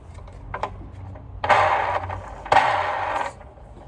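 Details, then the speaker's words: Sanitaire vacuum motor, possibly Chinese-made, spun by hand gives two harsh gritty whirring bursts, likely dry bearings, loud when spun fast; fix suggested is freeing it up and applying 3-in-1 oil. "guys can hear how bad that is but here's a solution three and one oil looks very good on these you spin them way too fast they get really loud just free that up and put some oil"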